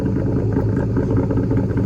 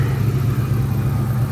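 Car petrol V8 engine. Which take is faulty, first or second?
second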